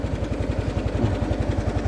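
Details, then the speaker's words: 2017 Yamaha NMAX scooter idling: deep fast throb, about twelve pulses a second, instead of a smooth hum, the whole body shaking heavily; broken CVT rollers and worn pulley cam cause the vibration. "tapi ini sudah pasti motor bergetar ke seluruh tubuh atau seluruh body motor ya kita pun sampai bergetar seperti"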